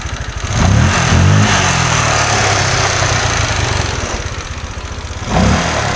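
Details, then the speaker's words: Honda Vario 125 LED scooter that came in sluggish, weak and unresponsive: after a part replacement the scanner altitude value reads normal. Quick throttle blips rise and fall cleanly with no stumble. Throttle pull is better, injector 2.3 normal, O2 sensor working. "AC di sini sudah jelas untuk tarikan gasnya dia lebih Hai dia lebih enak"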